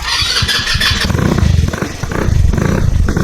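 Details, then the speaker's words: Chinese scooter after a carburetor main jet upgrade, bowl empty: a few gentle cranking bursts while the bowl refills, then the engine catches into an uneven low putter that steadies. Normal start after cranking. "You can hear that? After a little bit, your scooter will start, okay? But it might not start perfectly."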